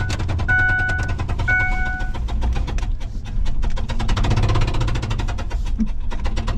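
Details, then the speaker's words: 2005 Ford F-150 V8 with cylinder 3 spark plug blown out, threads damaged, driven in with the hole open; rough running with loud rhythmic popping from the open spark plug hole. "we're just gonna drive it in it'll be popping and banging without that spark plug in that hole"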